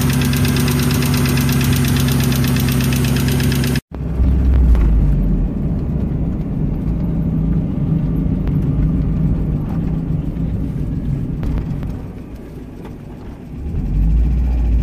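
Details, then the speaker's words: 1995 Mazda Miata MX-5 1.8 at idle with a repetitive knock or tick over a rough hum and no exhaust smoke; owner unsure whether it is severe lifter tick or rod knock. "here's my Mazda Miata 1995 1.8 are currently no smoke is coming out the exhaust but we have either some severe lifter ticks or rod knock down sounds like it's coming from over there that master"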